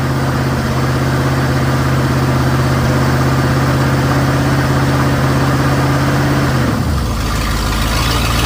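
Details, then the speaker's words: 1955 Buick Super on 1973 Electra frame, 455 big-block V8, new fuel pump, K-Seal radiator leak fix: smooth, even low burble at warm idle, no knocks or misses, note changes near end; temperature steady at 180, healthy. "Don't have an oil pressure gauge yet, but I think it'd be making a lot more noise if I didn't have oil pressure."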